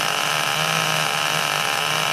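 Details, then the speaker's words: Rebuilt small "3-pounder" mini tractor engine built from spare parts, running with three head gaskets fitted: high steady buzz with a soft burble and no misses, deliberately run rich for break-in. "All right, I got it together, got it running. Got 3 head gaskets in it right now."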